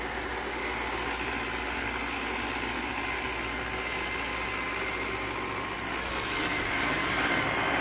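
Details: Roomba 694 on carpet only: steady rough grinding under the motor hum, pointing to something dragging or binding at the brush roll; cause unconfirmed.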